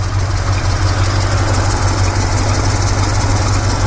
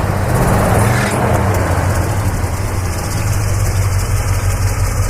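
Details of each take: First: 1965 Chevrolet C20 V8 at idle. A faint, slightly uneven tick about three times a second; the owner suspects a small exhaust leak but is unsure. Ticking at idle. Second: 1965 Chevrolet Custom C20 pickup V8: even deep idle, then a quick throttle rev that rises and settles smoothly with no knocks or rattles; a possible slight exhaust leak suspected, unconfirmed.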